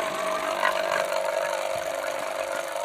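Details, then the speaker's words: Vacuum pump evacuating a two-door refrigerator with a not-cooling complaint, gauge dropped straight to zero; loud steady even hum, no knocks or rattles; normal running. "Jadi ini nanti kita tunggu sekitar 10 sampai 15 menit sampai udara yang ada di kulkas benar-benar hilang semua"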